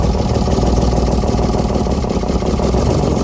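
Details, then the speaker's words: BMW E36 328i: rough, uneven idle with lumpy, stumbling beat and no clean rhythm; misfire with cylinders 1 and 3 dead, apparently from faulty injectors. "Alors, le 1, il est dead. Le 1 est dead."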